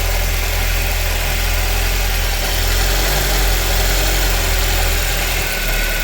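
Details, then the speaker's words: 2010-2013 Ford Transit after serpentine belt tensioner replacement, weak battery: steady, even idle, smooth low hum, no chirp, squeal or rattle from belt side, pulley no longer moving; normal idle. "I'm going to go ahead and crank it up now. Let's see if it runs. I don't see where the pulley's moving any, so that might be all it was."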